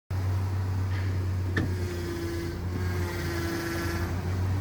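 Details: Ford Ranger at idle, before adding friction reducer additive: strong steady low drone with a clear higher whine held constant; loud power steering pump whine.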